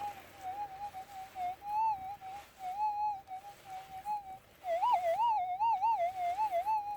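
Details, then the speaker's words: Minelab GPZ 7000 gold detector in auto ground balance mode during small nugget test: wavering high warble near 800 Hz, rising and falling unevenly over quiet threshold; electromagnetic interference, not the target. "Oh, not that, that's a bit of EMI."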